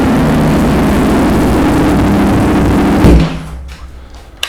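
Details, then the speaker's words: Ducati Streetfighter V4 just after oil and filter change (Motul 300V), started to circulate oil and check leaks: strong even rumble at steady idle, then clean shutoff; no knocks or rattles, normal idle. "All right, and that gets it circulated enough around. I let it run for about a minute or two."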